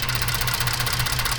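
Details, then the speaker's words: 2014 Ford F-150 3.5 EcoBoost, loud idle with a faint uneven pulse. The scanner shows about 350–400 misfires on cylinder 6. Its coil had been replaced but the connector is not seated fully: cylinder 6 misfire. "Y si se fijan en la parte esta es el número seis, so está fallando bastante el número seis."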